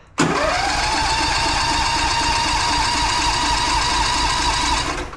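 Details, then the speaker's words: Old machine, cold start after sitting all winter on the battery left in, with the auto choke: the starter whines at a constant pitch about five seconds without catching while trying to pump fuel up; the owner says long cranking often fails. "these things are weird if you just keep that cranking probably won't start but if you let it sit and then crank it again"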